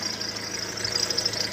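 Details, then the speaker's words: Warm Opel Corsa D diesel idling: steady high-pitched whirring over clatter from below, passenger-side right; owner suspects failing belt tensioner pulley and worn auxiliary belt, to be replaced together. "Le beau qui vient par en dessous à droite côté passager. Voilà le bruit d'un galetur défaillant."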